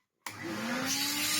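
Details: Vintage Hoover Hooverette 2944b vacuum, first switch-on after fitting a new plug to the cable: motor spins up to a steady, clean whine with no rattles or scraping; runs fine.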